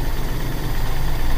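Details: Carbureted car engine, after carburetor cleaning trick for a mbrebet engine that would not idle or hesitated on throttle: short stretch of low even rumble, no misses; steady healthy idle.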